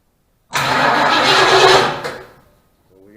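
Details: 1972 Mustang Mach 1, 400 big block, first start attempt with dual-spark emission control module wired in: about 1.5 seconds of starter cranking that stops without firing; owner suspects bad module or ground, unconfirmed.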